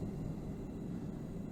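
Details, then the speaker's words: Gas forge burner at low gas pressure with the air slide tube closed off; soft, steady, low rumbling roar with no sharp hiss, flames longer: a very rich burn. "so that is a very rich burn"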